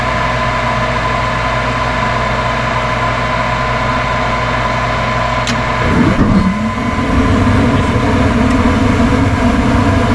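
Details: Furnace on a no-heat call, power restored after part replacement: even inducer motor hum for several seconds, then fuller rushing sound as the gas valve opens and burners ignite; normal cycle.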